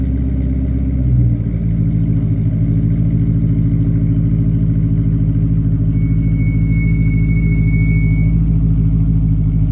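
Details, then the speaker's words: 1988 Porsche 928 S4 V8 with a rear muffler bypass and new tires, idling with a deep, steady, loud burble and no knocks or misses: healthy engine. "anybody who's put a rear Muffler bypass on an 88 and I think it's 88 and 89 or 87 and 88 I don't remember exactly but the 88s for sure they just sound so good with simply a rear Muffler bypass on it"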